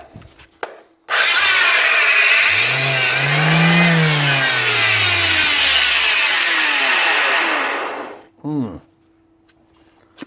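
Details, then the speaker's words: Bosch GEX150AC orbital sander: harsh, loud whirring roar that dips in pitch before cutting off; faulty switch and loud bearings, with worn brushes also found low. "faulty [Music] switch looks like a switch problem and obviously bearings too because it's as load"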